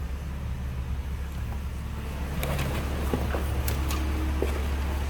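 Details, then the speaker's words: 2010 Mercedes-Benz SLK300 convertible with 7,235 miles and no warning lights: low, even hum at idle with no knocks or misses, faint cabin clicks; very smooth normal idle. "hear it run. Very smooth running cars."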